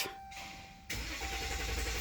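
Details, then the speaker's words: 2016 Dodge Ram 1500 diesel, dealer blamed fuel contamination, no trouble codes, fuel pressure reaching ~300 bar target: strong, even cranking that never catches; crank-no-start traced to damaged crankshaft reluctor teeth. "what caught my attention was this vehicle never even obtained to start it cranks very solid and he never tried to - to start"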